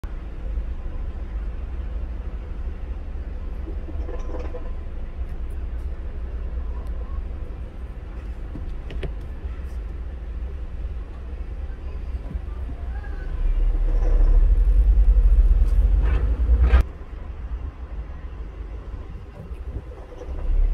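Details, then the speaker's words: 164K-mile Honda Fit: deep idle rumble with loose, uneven engine-bay rattle from a broken AC compressor bearing (frozen inside, magnetic clutch not engaging, AC not working) plus a worn drive belt tensioner; both diagnosed and repaired. "okay so what do we have here this is the AC compressor okay it's got a little rattle is that a bearing yeah so broken bearing yeah"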